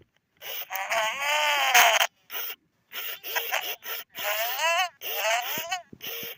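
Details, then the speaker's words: 1998–1999 Furby with a burning-out speaker: chattering voice comes out harsh, crackling and distorted, pitch sliding down and back up in bursts, worsening toward mute; speaker replacement fixes it. "can hear how the voice pitches go down and then they go back up. You can really hear the distortion. So you can hear how she's actually progressed worse."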